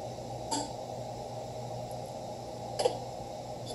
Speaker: first click you heard was a solenoid engaging the second click adjust the key switch